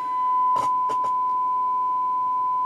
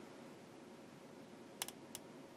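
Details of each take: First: Knight KB-85 stereo tube amplifier after reseating EF86 and 12AX7 tubes, fed through both RCA inputs: clean steady tone around a thousand cycles with brief clicks, no hum; good signal through both channels. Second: Knight KB-85 stereo tube amplifier slowly brought up to about 90 volts with a sine wave input: steady soft hiss broken by sharp, dry pops and crackling, with no signal reaching the output.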